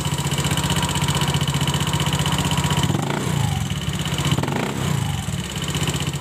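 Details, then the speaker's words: Honda Scoopy FI scooter, rough noise for several days, unclear if engine or CVT, started and revved: rough fast ticking clatter about four per second; valve tapping from excessive valve clearance with low oil. "Honda Scoopy dengan membawa keluhan, yaitu ada bunyi berisik, entah itu di bagian mesinnya atau bagian spitinya."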